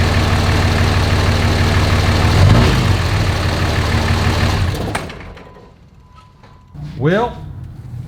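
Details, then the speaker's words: 2006 Dodge Ram Cummins 5.9 24v diesel after a loose valve bridge, with rocker arm assemblies and lash caps adjusted and injectors swapped: starts slightly smoky from old fuel and settles into a steady, even idle with no top-end tapping, then shuts down; the earlier ticking is gone. "smoky from all that old fuel in it but it fires up and it sounds okay so i guess i'll take it for a little test drive i don't hear that same ticking that i heard the other day"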